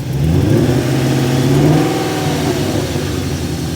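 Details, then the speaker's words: BMW E34 540i six-speed V8 running: revs and settles with a lumpy, uneven beat and no metallic noise; a damaged valve was reported, though the cause is uncertain. "So yes, it does still run, but it may be hard to kind of tell on camera, but if you listen to it, it's not all there. Like, there's definitely a problem."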